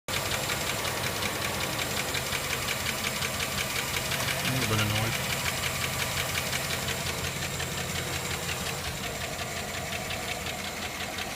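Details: 2007 GMC engine running with a steady, sharp knock about three times a second; owner unsure whether rod bearing or valve.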